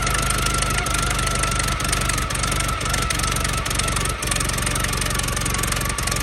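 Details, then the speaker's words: 1914 Buick, about 1,776 original miles, restarted on premium fuel after sitting roughly 85 years: steady, even chugging idle with a regular low beat, no knocks or misses, running well; coolant is being expelled and the cooling system still needs work. "I gotta say, she runs really good."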